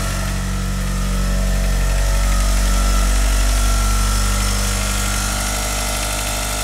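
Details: Mitsubishi Galant VR-4 first start after engine overhaul; steady smooth idle with a low even hum and no lifter tick or knock, possibly thanks to the lifters soaking six weeks in diesel.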